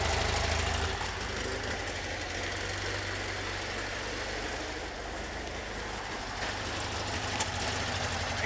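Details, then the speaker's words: Warm idle on a 1973 VW Super Beetle 1745cc with 041 heads, hydraulic lifters and Dellorto FRD 34B carbs jetted for 1415cc; steady even beat, old gaskets not leaking, no valve train clatter; normal idle with quiet valve train. "you come down here and the gaskets that are right there just like super old but we're not leaking you don't hear any valve train splatter"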